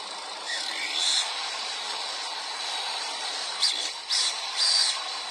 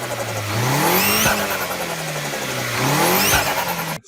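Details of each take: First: Turbocharger that spins under throttle but has trouble at idle; high, thin whistle with short squealing bursts and no low rumble. Worn core with excessive shaft play lets the compressor wheel rub. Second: Turbocharged car engine; revs climb and drop twice, with a sharp airy chirp as the throttle closes. Blow-off valve releasing compressed intake air, working normally.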